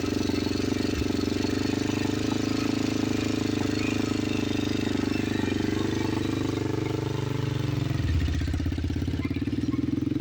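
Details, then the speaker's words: 2007 Honda TRX400EX ATV after 440 big bore top end rebuild, new valves and clutch: single-cylinder thump holds steady idle, then pulls off smoothly in gear with no misfire or rattle, no smoke; sounds healthy. "No smoke. Sounds good."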